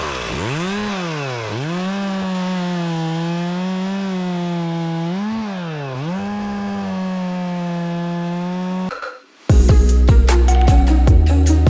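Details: Stihl MS 270C chainsaw that bogged and shut off when warm, after fix, run warm on ethanol-free premium 50:1 mix cutting wood: smooth high wail dips as chain bites and recovers cleanly, no bogging or cutting out.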